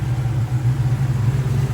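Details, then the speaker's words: 1989 Ford Mustang GT, original 302 H.O. V8 with F-cam, possibly Borla exhaust and X-pipe, factory 5-speed: loud low idle swelling and dipping several times a second, hunting; owner hears surging and suspects a slight miss. "But I mean, goddamn, it's got that Mustang sound, you know, that iconic Mustang sound. I do hear it surging a little bit."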